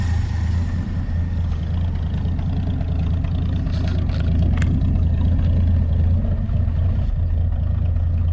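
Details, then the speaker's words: 1966 Chevrolet C30 truck idling with the choke on, before restoration: a steady, even low rumble with no knocks or misses. The idle is quiet and smooth. "but quiet as and smooth as can be up here."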